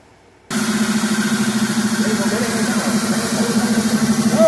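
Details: 2003 Mercury Grand Marquis 4.6L at idle: warbling voice-like "Wookie Yodel" that rises and falls over a steady idle hum, an acoustic noise from the box at the idle air control valve, before the valve is replaced; idle air control valve whistle at idle.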